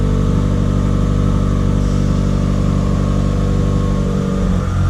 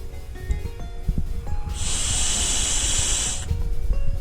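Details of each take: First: like that fixed it all right so i actually just finished up the recalibration on it everything's working good Second: 2017 Subaru WRX Air Lift 3P air suspension, check valve from a Viair 444C compressor about 2.5 years old, blown through by mouth from the wrong end: steady hiss for almost two seconds; valve leaks backward, owner suspects a failed spring.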